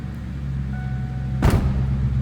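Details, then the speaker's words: 1996 Ford Mustang GT coupe, two-owner car, 4.6 L V8, five-speed manual, heard from the back: deep, even, throaty rumble with steady pulse and no misses or ticking; healthy idle. "Oh, throaty rumble. Sounds good."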